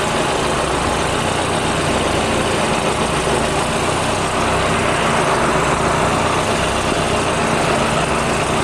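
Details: Turbo engine idling with a steady hissy, puffing rasp over the exhaust note; the HKS GRF exhaust manifold is confirmed leaking.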